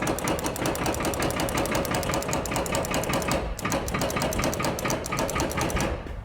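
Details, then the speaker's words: Cummins 220 diesel in a 1953 Peterbilt, first start attempt with boost, running on only one battery: fast, steady metallic chattering with no cranking; the starter is not engaging, cause unconfirmed. ">> No, that's the starter not activating. I've only got one battery on it, so it's probably kind of hard on that starter, but"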